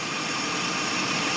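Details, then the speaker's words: 2006 Scion xB after the squeaky belt fix, idling with the fan on high and the lights on for maximum alternator and belt load: a steady idle with loud fan hiss and no belt squeal. "right now I can assure you it's 100% quieter than it was before at least squeaking wise I'm not heing any squeaks right"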